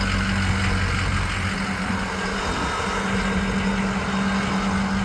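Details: 2006 Ford F-250 at idle, heard at the factory exhaust (not straight-piped), aftermarket intake, new battery: smooth even idle rumble with a steady low beat, no ticks, rattles or leaks; healthy stock exhaust.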